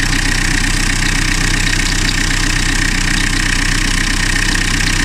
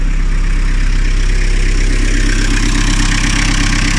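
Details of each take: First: Diesel car whose engine was rebuilt 2-3 years ago (head and pistons replaced after overheating) idles with a high, bird-like chirp about three times a second from a worn V-belt; fix is replacing the V-belt only. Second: Diesel car, engine rebuilt 2–3 years ago after overheating, came in with a rattling noise. After a new belt, idle is steady and even with a smooth low rumble and no chirp, squeal or rattle; it sounds healthy.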